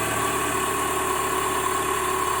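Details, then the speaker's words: 2007 PT Cruiser four-cylinder right after new spark plugs, plug wires and coil pack on an overdue tune-up; starts quicker, even steady idle with constant hum, no misses, sounds smoother. Normal idle. "well I ain't got started a lot quicker I think the engine sounds smoother"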